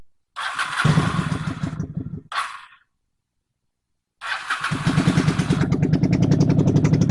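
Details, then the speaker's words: 23-year-old neglected Honda Shadow V-twin after a carb rebuild with a jet kit and used stock air filter, pilot screw 3 turns out. Lumpy idle with a missing beat, running only on the rear cylinder; front cylinder's plugs probably loaded up. Sags, then picks up at the transition holes. "Plugs in that front cylinder are probably loaded up right now. Still only idling on the rear cylinder."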